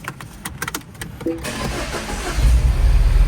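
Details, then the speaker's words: Second-gen Mini Cooper, N18 1.6L turbo petrol, cranks and catches into a deep, lumpy, uneven idle. Misfire code on cylinder two, fouled plug smelling of fuel, and the misfire stayed after swapping plug and coil. The cause was a burnt valve. "Mike MD's, this car, second gen Mini Cooper, is running rough and we're going to figure out why."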